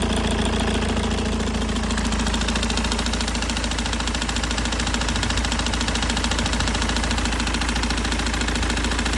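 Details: BMW E90 320D with M47 diesel idling: a steady, quick knock about three or four times a second from a faulty, worn water pump bearing.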